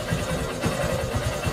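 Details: Honda Shine motorcycle after carburetor work and a Euro 2 exhaust pipe fitted, which cured stalling and poor pull on throttle when cold: steady, even low-thump idle with no knocking or misfiring.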